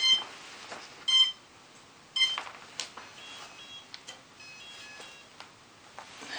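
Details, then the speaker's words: Heavy Pixhack 2.8.4 quadcopter, 40 A linear ESCs, 360 kV motors, 14-inch props, 4S 5200 mAh battery, indoors; the motors only reach arming speed and it won't take off: short high beeps about once a second, a warning of unknown meaning. "that noise is so annoying"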